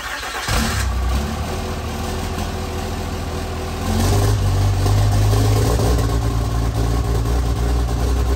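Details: Freshly installed 1500hp Cummins diesel, run without coolant, held at high idle, about 1000–2000 rpm sweeps for cam break-in and hot re-torque: deep steady rumble climbing to a smooth held idle, no knocks or misses. Normal high idle.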